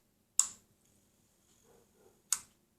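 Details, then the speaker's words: LG 50PT250 plasma TV power relay clicks on then off about two seconds later; 5 V appears then shuts down, set fails to start due to shorted Y-sustain board FETs. "it's the same thing you can hear it clicking wanting to start but something's stopping it"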